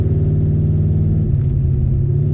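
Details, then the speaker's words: 1972 Pontiac LeMans with a replacement junkyard 400, automatic, on a drag-strip pull: it holds second and drones to 3500–4500 rpm with no upshift. Transmission not shifting into third. "No third. No third. That's 3500 RPM. No third. It's four grand. 4500. No third. Yeah, she don't like third."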